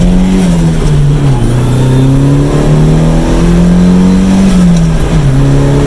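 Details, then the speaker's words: SR20DET turbo Datsun mini truck, after a fuel-system fix with an uprated fuel filter, accelerating to 120 km/h: a strong, clean pull rising and dropping through each gearchange with no cut-out. A slight unexplained issue remains in second gear. "that was up to 120 kilometers an hour so just over about 70 ish miles an hour they've gone through the gears quite nicely"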